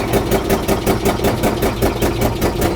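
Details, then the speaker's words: 1999 Mitsubishi Montero at idle after fixing the passenger-side exhaust leak: quieter, but still a loud raspy puffing tick on each firing pulse, now an exhaust leak on the driver's side, owner suspects a stuck nut there. "The good news is is that we fixed the issue on the passenger side. It's not loud anymore. Now, the issue is it's loud on the driver's side."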